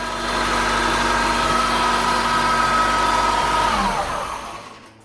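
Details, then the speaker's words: Honda Integra DC5 (Acura RSX) base model idling: a steady high whine that slides down and fades at shutoff. Power steering pump was suspected and the alternator swapped without effect. "I'm sure you all heard that whining noise originally I was told it was the power steering pump but I wanted to check it all out"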